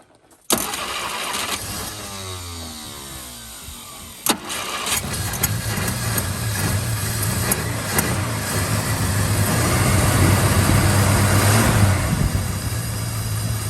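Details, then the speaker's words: 1951 Studebaker with generator disconnected and idle raised: the engine cranks and catches, then idles roughly with a lumpy, stumbling beat and skips. Misfire is suspected from burnt valves, not confirmed. "Idling. Idling. Sounds like hot garbage. So I just gotta be camming it because it's got burnt valves and it's missing."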